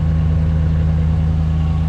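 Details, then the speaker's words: Dodge Ram after replacing a burnt, rattling, leaking makeshift exhaust: deep, smooth idle with a steady low hum, no rasp, puffing or leak ticking; much quieter now. "And we're going to see how this exhaust sounds now. Oh my god, it is so much quieter now."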